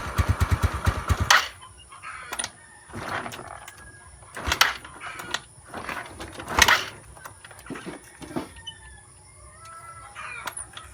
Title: Mio sporty hard start